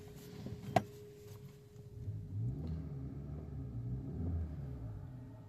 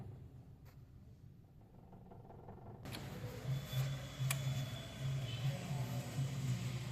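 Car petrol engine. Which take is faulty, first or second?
second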